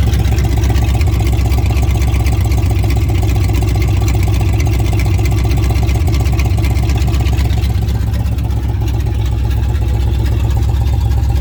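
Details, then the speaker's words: Chevy truck with apparently replaced distributor cap and rotor, no exhaust system, only straight headers: it fires right up into a very loud, deep, choppy idle burble pulsing about four times a second; loud open-header exhaust. "There's no exhaust on it at all. Only the straight headers. Oh, it fires right up."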